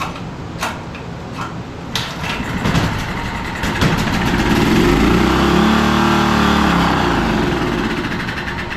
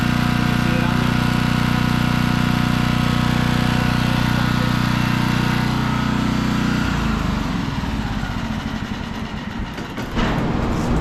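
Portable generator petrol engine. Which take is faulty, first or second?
first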